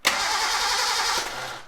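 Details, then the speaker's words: Gilbern Invader Mk3 barn find, first turnover test after working the solenoid contact a few times: steady, even starter whir with no grinding or clicking, before checking spark. Normal starter cranking, starter good. "so we've got ignition so you just work the contact a couple of times sometimes just get everything to work because it's a bit it'll be fun guy on it so we've got a good starter"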